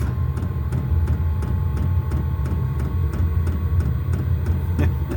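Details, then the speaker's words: Newly installed diesel air heater in a garage, first run just after start-up: steady low fan roar getting up to speed with crisp fuel-pump tick about three times a second; normal running. "There she goes. Listen. Getting up to speed."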